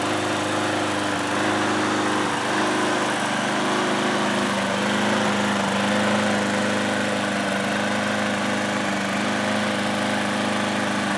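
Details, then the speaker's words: Older Craftsman mower engine, first run after carburetor cleaning with fresh gas added, surges at idle, its pitch slowly swelling and easing back; owner suspects leftover stale fuel in the cleaned carb, expecting it to settle once fresh gas runs through. "so I didn't elect to clean any of the fuel out of that carb that I had already cleaned so it's possible that it's only surging like that because some of that fuel and there's a little stale"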